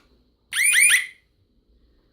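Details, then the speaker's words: New home security alarm siren, unmounted and bench-tested on its transformer: a loud half-second warbling two-tone wail rising in pitch, then silence; the siren works normally. "okay so i'm sure you heard that that was this siren going off if you want to hear it again okay so it definitely works"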